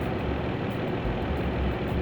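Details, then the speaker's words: 2007 Saturn Vue with Honda 3.5 V6 after ignition tune-up (spark plugs and coils), idling in gear with air conditioning on: smooth, even low rumble, no skips or stumbles; normal idle. "so here we are idling in gear with the air conditioning on smooth great success sounds good idle's good front's good"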